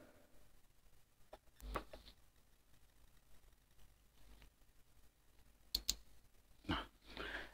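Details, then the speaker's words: Protection relay in a homemade box speaker headlight circuit, fed directly from a 15 V AC transformer instead of the specified DC: quiet room, then crisp single clicks about a second apart, relay pulling in cleanly; normal relay click-in. "dia sudah bekerja pada semestinya yang saya harapkan. Jadi tidak menggunakan DC, langsung AC trafo 12 volt."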